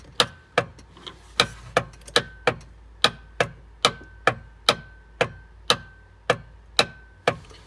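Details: 1995 Sea-Doo GTS that had cranked for about 1.5 seconds days earlier: sharp single clicks about twice a second, motor not turning; clicks but won't crank. Owner suspects the electrical box near the battery; not confirmed.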